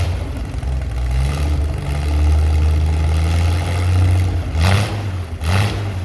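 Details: Chevy SS under restoration, engine restarted after the owner lowered the fuel level to fix a mistake; it has a non-original cam. Deep, even idle with smooth rumble, then quick clean throttle blips rising and settling crisply: healthy engine.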